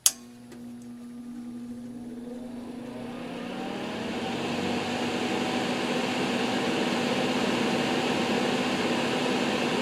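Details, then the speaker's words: NOEVSBIG all-metal solder fume extractor fan with its filter fitted: steady hum climbing in pitch and level as it spins up, sounding strained and labored; owner feels it is unhappy with the filter in and suspects it needs oil. "it really doesn't sound nor feel happy with the filter in there I have a feeling this is going to need [Music] oil"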